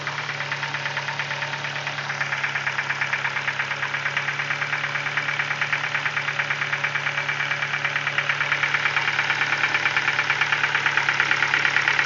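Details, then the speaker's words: Ford Focus 2, 1.6 engine, 290,000 km, cold idle: sharp, regular knock about three per second, steady and getting slightly louder; internal engine knock, source not yet found before teardown. "Так, Ford Focus 2, двигатель 1.6, 290 тысяч пробега. Такой стук. Двигатель на холодную работает."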